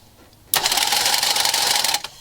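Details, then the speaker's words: Engine project first fire-up, before fuel added, coil on a temporary circuit: number 1 spark plug grounded while cranking gives about one and a half seconds of fast, crisp snapping; good ignition spark. "Got a good spark. So I know I'm getting spark."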